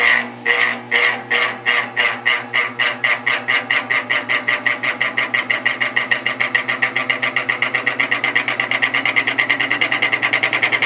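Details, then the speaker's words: Vintage GE 3-speed reversible window fan, catalog F11W3, on high before the fix: sharp rhythmic clacking speeding from about three to seven beats a second as it spins up. The bearing is fine; the motor shaft is loose in the rotor. "yeah it's not sounding too good you get the point it's not sounding good at all and I'm hoping it's just a washer issue I think the bearing in this one is fine"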